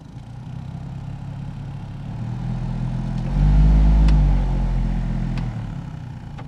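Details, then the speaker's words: Heater/AC blower running before cleaning, cowl trim missing: deep steady hum swelling as fan speeds up with faint rough rattle; owner suspects leaves and acorn debris in the squirrel cage. "And you see all this debris down here? Bunch of leaves and some acorn chewings. So I want to show you the front of this thing right here on this. That plastic cowl trim is missing. So this heater blower, squirrel cage or whatever, has probably got leaves and debris in it."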